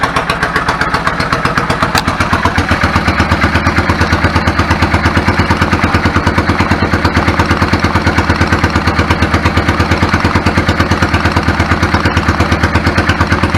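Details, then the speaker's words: 1999 Yamaha V-Star 650 Classic, 650cc V-twin with twin carbs and 16K miles, after sitting unused and having clogged pilot jets cleaned: idling on choke with a lumpy, steady beat and no misses or stumbles; running cleanly. "the idle adjust smells a lot sounds good settles back of it I'm fine with it"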